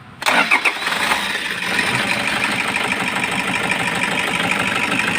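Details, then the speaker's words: Toyota HiAce 2KD diesel: hard starting with a few uneven bursts, then a sharp, regular knock and misfire at idle. Faulty injectors are suspected (possibly valves), and a cylinder balance test follows. "kasi itong sasakyan na ay palyado tsaka naking yung tunog so suspetsa natin baka injector yung may diperensya"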